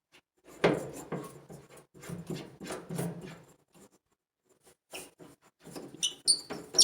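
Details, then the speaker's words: Maytag 2000 Series dryer squealing, drum and belt removed: irregular squeaky chirps as the idler pulley is turned by hand, a worn pulley bearing. "that's the problem these right here sounds all right that one doesn't spin it's nice oh that one makes a bit of noise"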